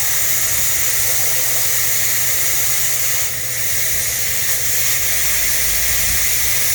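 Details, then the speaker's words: TPMS sensor relearn on a 2010–2012 Ford F250/F350 tire, deflating through the valve to trigger the beep. A weak, steady hiss that never builds; the valve sounds clogged. Restricted air flow from tire valve. "Sounds like this one's clogged. Yeah. Definitely is."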